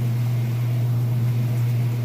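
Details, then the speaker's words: Whirlpool washer in spin cycle near full speed, sitting level: steady even low hum with no thumping or wobble; normal, balanced spin. "nice and level, sounds great. Nice smooth operation."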